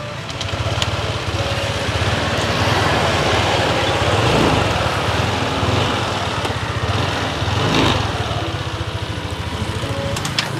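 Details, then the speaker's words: Motorcycle after repair by a mechanic: the earlier noise is gone, engine now quiet with an even exhaust beat swelling gently with throttle, no ticking, knocking or rattle, said to sound like brand new; normal running. "Wala na yung tunog, Daddy Frank. Wala na yung tunog. Oo nga, no? Tahimik na, no?"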